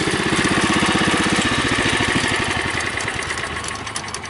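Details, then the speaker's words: Customised Bolens Husky 600 garden tractor in its current state: quick even chugging about four pulses a second that fades smoothly, no misfire or knock; engine running great. "that's the current state of the 600. It's running great."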